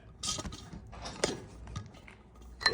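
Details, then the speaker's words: Removed front right electronic suspension strut from a 2014 Cadillac CTS4 3.6L, pushed by hand: irregular gritty crunches in short bursts, and it stays bottomed without returning. Oil is leaking from the seal; a failed strut, with a bad strut mount bearing also noted. "stuck all the way in the bottom position now it was a lot more crunchy before I started playing with it"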